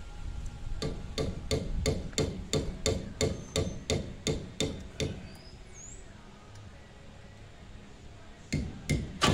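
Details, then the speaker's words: 1990 Chevrolet Camaro RS, first start attempt after sitting 12–13 years, with a new fuel pump and fuel lines blown out: slow, uneven cranking about three thumps a second, pauses, more cranking, but it never catches. "I just might get this thing dude the hell don't sound good I don't know if I can do this"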